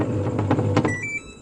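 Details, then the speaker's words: Samsung 11 kg washing machine that powers on but won't start (start button found broken): drum motor whirs as soon as power is pressed with no start, which shouldn't happen; control board fault. "ผมสังเกตครับปุ๊บนะครับหมุนเลยนะครับกดกดปุ่มpowerนี่หมุนเลยนะครับนะครับ"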